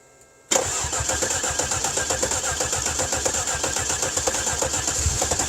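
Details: Cadillac 300 HP Northstar V8 with a broken exhaust, right after replacing the fuse: quiet, then an instant catch into a quick, even, steady idle with no stumble or knock, charging at 14.7 V. Healthy start and idle.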